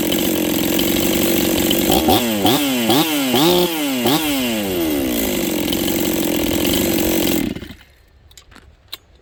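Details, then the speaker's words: 266XP chainsaw first run after top-end rebuild, carb not finally tuned: high steady wail, then throttle blips that bog slightly before climbing; lazy off the bottom, carb still needs tuning. "flipping the throttle you guys can hear it's a little lazy off the bottom"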